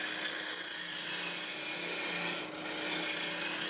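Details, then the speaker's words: Woodturning lathe cleaning off the face of a beehive box with a draw cut using the tool tip, handle braced at hip: smooth continuous hiss, no chatter or catches; tool presented correctly and cutting cleanly. "When a tool's cutting right, you can hear it. There's a certain sound to it, there's a certain feel."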